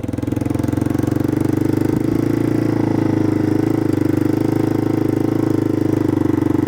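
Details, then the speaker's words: Yamaha 225DX three-wheeler running cleanly and evenly while ridden through the gears after the factory carburetor was repaired, replacing an aftermarket carb that never ran; it started and idled without choke, and first through fourth gears all work. "first and second gear working good guys third gear works but I do like the back suspension third gears working let's go for fourth"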